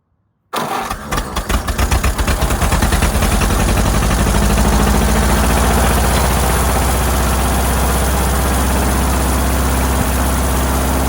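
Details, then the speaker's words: Ford Model AA doodlebug being revived: cranks and catches, then an uneven, lumpy idle with pulses dropping out; cylinders three and four not working well, owner suspected a stuck valve; ran better after oiling those cylinders. "something on the back end back here on number three and number four aren't working too good but hey it runs"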